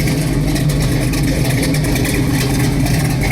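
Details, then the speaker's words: 1971 Chevrolet Chevelle Heavy Chevy big block with LS5 cam, cold: deep, steady rumble at idle, smooth and balanced with slight lumpy cam lope, car not shaking; normal idle with cam lope. "Got that nice LS5 cam to it. And I'll tell you what, it's smooth and it's balanced. There's no, the car's not sitting there shaking."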